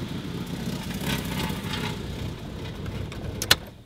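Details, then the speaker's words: Volvo 940 with a swapped Toyota 2JZ-GTE VVTi, first start after fixing the wiring and the missing 12-volt spark supply: brief cranking, then a clean catch and a steady, even idle with no misses or knocks. "Then start her up. As you can hear, she runs. Nice."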